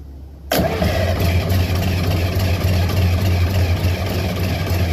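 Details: John Deere 544 wheel loader diesel after bleeding all injectors but one: heavy, slow, uneven cranking at roughly three beats a second that never catches; owner suspects the engine was seized and valves stuck, starter sticking; cause unconfirmed.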